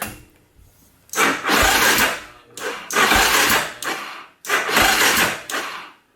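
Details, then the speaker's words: Polaris Predator 500 quad just bought used; three slow, labouring cranking bursts with a dragging whirr that never catches, battery too weak to spin the engine properly. "Man, that battery's toast. Alright, we'll let it charge up for 5 minutes or so."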